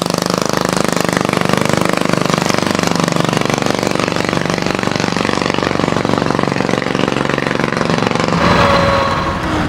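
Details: Homemade motorbike with a 120cc Honda GX engine and GTC TC2 CVT on its first drive after fitting a remotely adjustable main jet: a rough, uneven putt with a lazy, blubbery exhaust note; the engine is running really rich.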